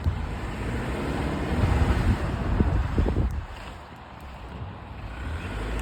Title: No Grinding Noise 1